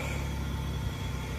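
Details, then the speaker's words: Camaro, about 90,000 miles, possibly 3800 V6, started at a salvage yard: low drawn-out moo-like moan over idle; suspected belt dragging on a seized pulley, possibly the alternator. "great motor man and that noise I'm hearing could either be the alternator but more than likely it's the pulley"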